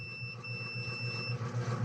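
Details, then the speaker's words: Basketball buzzer box power supply with no power, continuity test on a diode (reversed leads): steady high continuity tone for about a second and a half over low hum; diode conducts both ways, shorted, which caused the 12V capacitor to blow. "kaya tumutunog siya dahil shortage na ito kaya pumutok yung ah capacitor natin"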